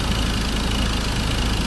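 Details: Ford Ranger diesel, over 300,000 km, after replacing CKP and CMP sensors for start-then-stall fault and bleeding fuel: low, even idle with steady beat, no shake or miss; engine settles and runs smoothly.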